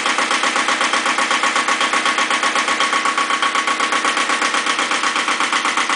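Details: Second Iseki tractor diesel, possibly KE70, started at 70°F after glow plugs, low power and weak below about 1000 rpm: hard, very regular clatter about four knocks a second over steady idle; owner suspects blow-by, not the muffler, unconfirmed.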